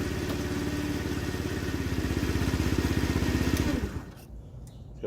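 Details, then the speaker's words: TaoTao 50cc Chinese scooter, 3,693 miles, bought non-running, electric start: rapid cranking pulses around four per second with a rough, uneven edge before cutting out; owner suspects the starter Bendix is slipping and needs replacement. "I do think the Bendix needs to be replaced because it sounds like it's slipping every so often in there"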